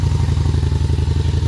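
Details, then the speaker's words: Honda Shadow Spirit VT750 with new Chinese carburetors and a new ignition, started cold on choke with clutch held in: strong, even loping V-twin beat at fast choke idle, steady with no misses or knocks; fires right up, running cleanly. "Let it run with the choke on for a sec, then I'll take the choke off. Oh man, fire right up."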